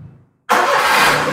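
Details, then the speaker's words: Perodua Viva 850 three-cylinder engine, compression about 12 per cylinder, hot after hours of running, restarted: dead quiet, then it catches on the first crank and runs straight into a steady, even note. Healthy quick start. "Kita akan start. Oke. Adakah dia one kick? Oke, kita start lagi satu kali. Siap."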